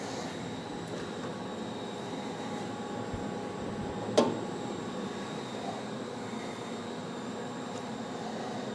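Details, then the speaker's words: Ricoma Revel DTF-2402 DTF printer doing a strong head clean on both heads: low steady mechanical hum, faint pump whir and a brief clack; normal cleaning cycle. "so right now the printer says it's cleaning the head you kind of hear it making noise too"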